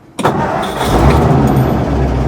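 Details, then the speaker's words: Carbureted Ford F100 truck, electric fuel pump recently fitted, carburetor not tuned, cold start: starter whirs briefly, engine catches at once and settles into steady even idle, no smoke; normal cold start. "Starts right up. And you know what I like and Mike likes? This has absolutely no smoke coming out of it at all."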